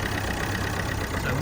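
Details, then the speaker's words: Corsa D 1.3 CDTI diesel first start after fitting new ECU, bleeding fuel filter and priming lines: steady even idle clatter, no misses or knocks, running on all four cylinders. "can now see this engine is now running you can hear it so we know that ECU has been flown well and we also have the engine running on all four cylinders"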